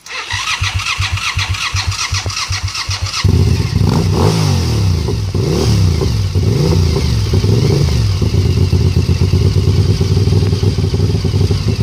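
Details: Suzuki TL1000R V-twin motorcycle cranks, fires, revs and idles with a sharp puffing tick on each exhaust pulse from a bad exhaust leak.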